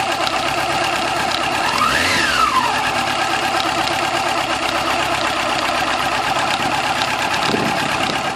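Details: 2000 Yamaha YZF-R6 engine at idle after cam chain tensioner replacement to cure a tick: steady idle with fine, even mechanical whir and no obvious loud ticking.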